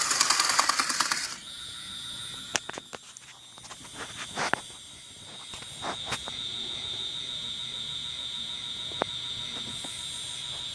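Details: HO scale locomotive bought on eBay: thin steady motor whine with scattered irregular clicks and rattles; clattering/knocking noise coming from the rear truck.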